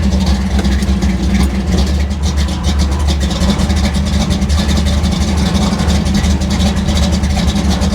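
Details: V8 on final tune, distributor locked at 38° timing, idling about 1000 rpm in gear with a somewhat tight converter: a deep lumpy burble with a steady loping beat and no knocks or ticks. It runs a little rich but sounds healthy.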